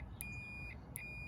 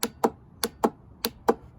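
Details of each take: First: Auto-parts-store Ford 4-post starter solenoid tested with a meter on the I terminal: two steady high continuity beeps show the terminals are connected. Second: Ford-style four-post auto parts store starter solenoid bench-tested with 12 volts on its coil: six sharp, crisp clicks over a quiet background, pulling in normally; its frame is not grounded, unsuitable for a lawn tractor.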